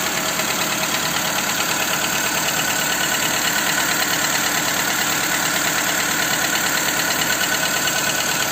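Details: Skoda Fabia 2 1.4 engine after replacing the camshaft cover: a steady idle with a fast, even ticking knock about three per second over a hissy background; engine knock, source still undetermined.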